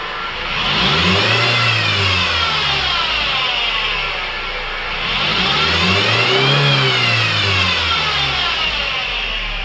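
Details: 2005 Mitsubishi Outlander, 2.4 L 4-cylinder petrol, manual; whine rising and falling in pitch and loudness with RPM, in or out of gear; alternator replaced with no change; owner suspects a belt pulley, cause unconfirmed.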